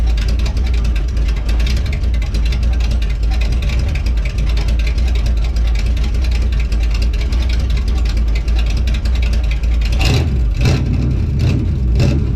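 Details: Healthy 52 Ford rat rod left running a few minutes with fluids checked and oil good, exhaust coming out the fenders instead of the stacks, loud rough-edged steady idle, then sharp throttle blips; runs clean.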